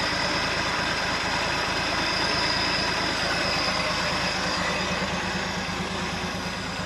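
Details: 1971 International Harvester 1110 pickup, AMC 232 six, 4-speed, idling after its first start on a rebuilt carburetor, with timing set and coolant added. Even, steady idle with a smooth regular beat, no misses or knocks, no smoke; healthy.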